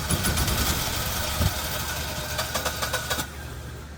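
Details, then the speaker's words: Generac Synergy 20kW VSCF generator with an 1100 overcrank alarm, cranked with one spark plug unplugged: rough cranking with uneven chuffing and firing attempts that never catch. Intake backfire suggests a valve issue; magnetos to be replaced. Fails to start on one cylinder. "Your generator will run on one cylinder. So, you can always just unplug one spark plug. See if she runs."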